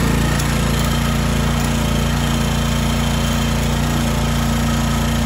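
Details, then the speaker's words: Toro Timemaster 30" mower, first start after about five to six months of sitting and before its tune-up, with fuel added down the carb. Loud, steady single-cylinder drone holding constant speed with no surging or smoke. Normal running. "that sounds pretty good actually it doesn't sound like it's surging or anything which would be my concern with uh carb that's been sitting for a while"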